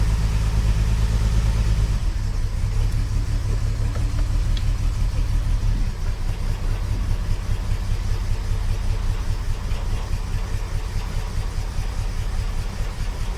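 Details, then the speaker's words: 45-year-old 2.8-litre Vauxhall Royale coupe, totally cold, unrun since the previous day, tuned carburettor fitted: starts readily and settles into steady, even low idle with no misses or knocks; normal cold idle. "I have not started this car. That hasn't run since yesterday. This is a so much better engine."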